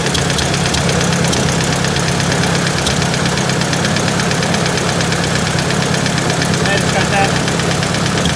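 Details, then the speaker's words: Rapid light tapping about two per second over the running engine, seemingly from up top; owner suspects a valve tap, probably out of spec, though the source is unconfirmed. "Sounds like a valve tap, and it's probably out of spec. Would be my guess."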